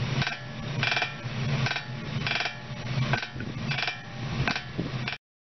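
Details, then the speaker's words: Suspension ball joint creaking in rhythmic bursts about every 0.7 seconds from stick-slip; light vibration in the joint is amplified by connected parts to produce the sound – ball joint creak. "Sebenarnya bunyi merekek ini tidak berlaku secara langsung di dalam sambungan. Getaran ringan berlaku terlebih dahulu pada sambungan dan getaran itu diperkuat dalam bahagian yang bersambung menghasilkan bunyi."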